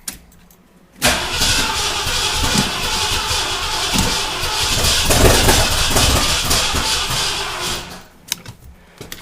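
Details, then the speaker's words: Ford Bronco freshly rebuilt engine, first start after correcting timing that was 180 degrees off; catches and runs ragged and uneven for several seconds, struggling to settle. Rough running; owner suspects ignition timing too far retarded. "We're trying, but I think might have my timing a little too far retarded."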